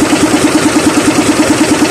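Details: SDLG loader diesel engine at steady idle, troubleshooting an engine knock without opening the engine: a sharp, even knock about nine per second, cause unknown.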